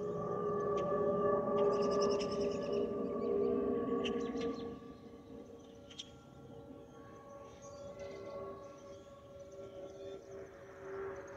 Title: Delta Airlines Airbus A320-212 N342NW DL2498 LGA-DTW (FOPP whistling sound)